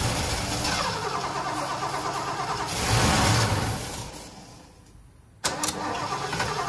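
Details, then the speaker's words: Ford 460 big block in a 1976 Lincoln Continental, 41,000 original miles: catches and roars briefly, then fades and dies within seconds before cranking again; not pulling gas from the tank (two fuel lines), fuel starvation. "she ain't pulling no gas though there's two gas lines on this thing too coming from the tank"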